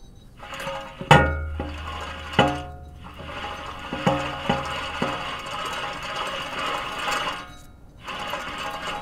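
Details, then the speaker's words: Hand-spun front wheel hub removed from a Honda Accord gives a dry, gritty grinding rumble between sharp metal clanks; the front wheel bearing is totally shot and is to be replaced with a National 510050 bearing. "LET ME SHOW YOU WHAT THIS WHEEL BEARING SOUND LIKE A WHEEL BEARING SHOULD NOT SOUND LIKE"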